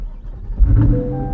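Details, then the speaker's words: Crashed rear-damaged C8 Corvette started: short starter whirr, V8 fires with a deep rumble and settles to steady low idle, no warning lights except hood open; clean, healthy start. "Let's try to shut it off and we're gonna fire it up one more time, make sure it's good. Oh, fire's right up. We're golden."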